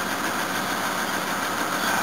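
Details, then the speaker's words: 1984 Toyota Cressida cold start: ragged, uneven idle under a harsh rattly wash, with a noisy belt; the tired engine runs on all cylinders after about 20 seconds; owner suspects a blocked fuel filter; rough cold idle, misfire. "Must warn you, this engine does sound a bit tired, and this camera probably makes it sound 10 times worse."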